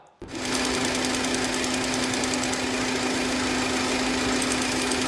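Engine running with a fast, light ticking of about four per second over a steady hum, typical of a noisy solenoid valve.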